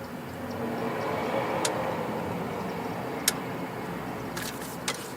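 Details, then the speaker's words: 2005 Honda Pilot with bad transmission, scanner-commanded shift solenoid test: crisp single clicks about a second or two apart over quiet shop hum as shift solenoid B on top actuates; solenoid clicking and working normally. "We got B. That's on the top there. Yep, it's clicking. And again."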